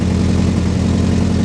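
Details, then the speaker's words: 1965 Ford Galaxie V8 idling while warming up after temperature gauge install: deep burble with faint occasional lope, not perfectly consistent; owner suspects timing or carburetor needs rebuild, not overheating, cause unclear. "you know you listen to it it's not perfectly consistent but it's also an old car it might just be something I ain't used to yet"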